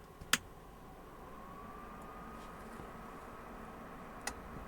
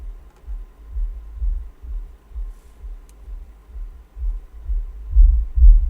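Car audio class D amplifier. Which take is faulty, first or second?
second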